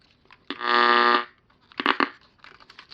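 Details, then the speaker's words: Old battery radio from an estate sale briefly plays: a loud buzzing tone for under a second, then scattered crackles and pops as it cuts in and out; bad connections, possibly at the batteries. "Just got bad connections here."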